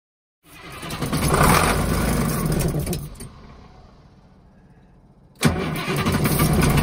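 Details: Bluebird FC coach no-start: two bursts of heavy rhythmic cranking about four beats per second without catching; no fuel because the electromagnetic fuel shutoff solenoid isn't pulling in when keyed.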